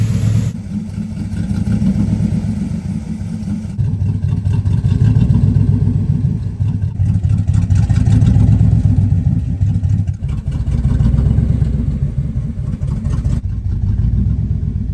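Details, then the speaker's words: 1963 Chrysler 300J 413 RB V8 with cross ram carbs and broken exhaust, after a drive: idle rises and falls slowly about every four seconds, rocking the whole car; cause not identified; hunting idle. "You know what kind of car I've seen do this exact same idle up and down thing many times over the years? Hondas."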